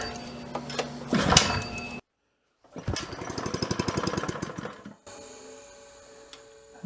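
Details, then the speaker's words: Restored 1970s scuba tank air compressor, first run after fitting a new belt pulley, intake filter cork removed: stumbling start, then about two seconds of quick, even chugging before stopping; it runs normally and makes pressure, with air felt at the outlet. "Okay, that sounded good. That is definitely making pressure. I can hear the air coming out of here and also feel it."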